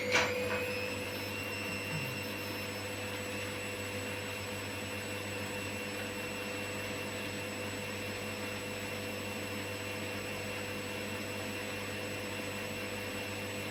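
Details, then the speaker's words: Candy GVS169D3/1-80 Grand O Vita 9kg washer after triac replacement fixing error E09: empty drum at full spin, steady high motor whine, smooth low hum, no thumping or wobble; quiet, balanced, normal. "sounds nice and quiet and it feels quite well-balanced because of course there's nothing in us"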